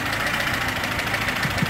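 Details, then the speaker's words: VAZ 21011 engine after head gasket replacement, warm with coolant boiling, distributor turned for most stable idle: steady, even, smooth mid-pitched idle with no stumbles or hunting; running normally. "Трамблер покрутил, выставил на максимально, как говорится, устойчивые обороты"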